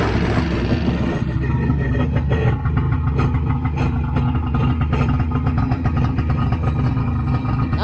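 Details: Two-stroke jet ski on gas-oil mix poured into the carburetor: low, throaty drone that stumbles and lumps unevenly instead of holding a clean idle; rough running, sludge inside suspected, cause unclear.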